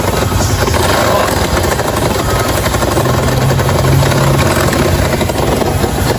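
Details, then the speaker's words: 2022 Lander motorcycle, previously worked on: loud rough running with a heavy, hard knock hammering through it; badly worn crankshaft main bearings with big play. "Não é brincadeira não, o barulho tá terrível mesmo, hein?"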